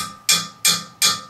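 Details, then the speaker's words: Tapping a drain pipe from the upstairs sink and bathtub: four sharp hollow, bright ringing taps; pipe sounds clear of buildup because it carries only regular water, not oily dish waste. "there's nothing in that right it's all clear cuz it's just regular water you're draw dring down they're not all oily stuff from the dishes right"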